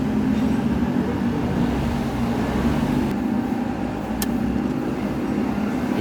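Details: Toyota Wigo with check engine light, idling with a slightly uneven, lumpy beat from a misfire; cause found as a loose injector wire moving with vibration, fixed.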